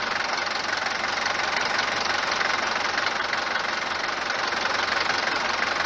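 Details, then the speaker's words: Mercedes W124 190 D four-cylinder diesel idling on a morning start: hard, sharp clatter about three knocks per second, steady and loud, an excessive diesel knock. Suspected causes are a worn cylinder or piston, the injectors (already replaced) or pump timing; unconfirmed. "كون الصوت هذايا هو موجود في أغلبية سيارات المرسيدس، في أغلبية محركات الديزل المرسيدس، لكن مش بالطريقة هذه، بالقوة هذه أو بالدرجة بتاع الصوت العالية هذه."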